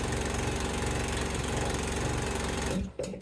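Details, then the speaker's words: 16.5 hp Briggs & Stratton single-cylinder, reassembled after a slow-crank no-start repair on its auto-decompression camshaft: fires right up, quick even beat about four firings a second, no knocks, then shuts off; normal running. "All right, guys, as you can see, it fired right up."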